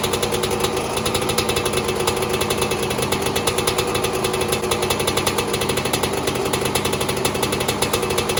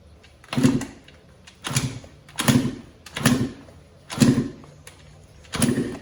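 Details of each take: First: 2002 Yamaha YZ125 two-stroke, first startup after a top-end rebuild for failed rings, following an initial backfire: a fast, crisp, steady two-stroke rattle with no misses or knocks, running healthily. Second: Yamaha YZ125 two-stroke after top-end rebuild, fuel on, choke on: six kicks about one a second, each a short thud and spin with no firing; owner suspected no spark, but spark was then found present.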